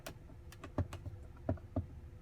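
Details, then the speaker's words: 2022 Tesla Model Y rear-view mirror after hack fix: a few dull taps on the trim, each dying out cleanly with no buzz or rattle; mirror rattle gone. "you don't hear it anymore sound's pretty much gone hack fix but it worked"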